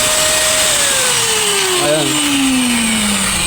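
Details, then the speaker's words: Angle grinder after gear repair: noise eliminated once parts seated, carbon brushes refitted, plugged in and run. Clean, smooth whine winding steadily down in pitch, no grinding, rattle or scraping; repaired grinder runs well, normal running. "So ibig sabihin mga winding, so goods na to. Okay na tong ating ni-repair na grinder. So maganda na yung kanyang tining."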